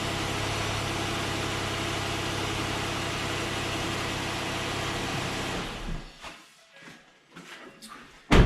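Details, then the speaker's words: 2014 Ford Explorer after water pump replacement and reassembly, oil pre-primed before first start: steady even idle with smooth low hum, then clean shutdown and handling noise; engine sounds healthy. "so that's why it sounds nice when I on an initial startup because everything's already pre-primed with oil"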